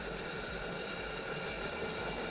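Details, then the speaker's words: DeLonghi PrimaDonna Elite Experience after repair, hot chocolate jug heating the mix: quiet, steady motor whir with a soft, even pulse, no grinding or rattles; stirrer and heater running normally. "now heat it up and it's nice it works"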